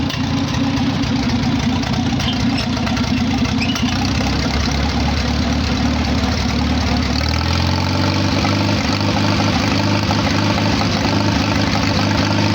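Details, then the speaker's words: Farmall H tractor idling after carburetor rebuild and new proper exhaust pipe, with fresh oil; low, steady, even thumping idle with no misses or knocks; normal idle. "so yeah that's what she sounds like now that i rebuilt the carburetor"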